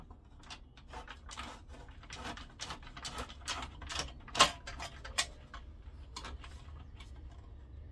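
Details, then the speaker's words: Philips CD160 CD player, tray mechanism: irregular soft clicks and whirring motor bursts about every second, constantly trying to eject; switches suspected out of sync or a control chip fault, unconfirmed. "No, it's trying to eject all the time."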